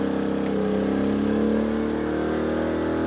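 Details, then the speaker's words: Briggs and Stratton P2400 inverter generator, load raised to highest setting, about 1600–1700 W: engine hum rises louder and holds higher while background blinking briefly appears then settles; normal heavy-load response, very loud. "So it's 1600, 1700. You can probably see in the background here, we've got some blinking. Okay, the blinking went away, so it kind of settled out. It is very loud."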